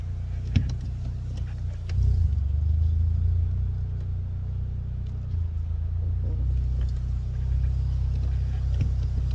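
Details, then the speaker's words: 2016 Hyundai Elantra GT 6-speed manual held around 2,000 rpm, not too bad at idle: deep rumble with a dull, uneven knock underneath, a rod knock, before pulling the oil pan to inspect the bottom end and wrist pins. "go ahead and pull this pan on my car one with the rod knock and we're going to inspect the bottom end of this engine see if i broke any wrist pins"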